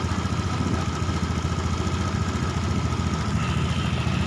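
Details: Honda Beat ESP fuel-injected scooter that was hesitating, with RPM previously dropping: single cylinder idles evenly at a fast, settled rate around 1,600–1,700 rpm with no stumbles or misses; idle now holds steady.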